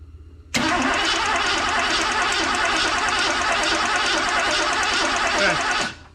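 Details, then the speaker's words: Ford Bronco compression test on a cold engine: steady, even cranking for about five seconds. The gauge reads one mark over 100 and is not bleeding off, so this cylinder holds compression fine. "one Mark over 100 on a cold engine some people say that's you know about common and it's not bleeding off"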